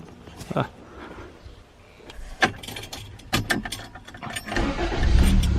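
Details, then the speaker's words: 1987 Toyota Corolla, sat since October 2020, needed a little gas to start: clunks, short crank, catches and settles into steady run; starts right up but stalls quickly when put in drive or reverse. "Starts right up."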